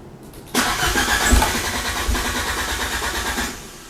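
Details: Fiat Panda with swapped Abarth Panda Turbo T-Jet engine: about three seconds of rhythmic, even cranking without catching; owner suspects fuel pressure though there is plenty of fuel; one fault code showing.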